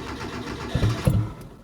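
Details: 1993 Proton Saga Iswara, long stored in a barn, first start with no exhaust fitted: two harsh, deep coughs as it catches and fires, raw and tractor-like with no silencing, then ticks over without surging; missing exhaust, needs a service.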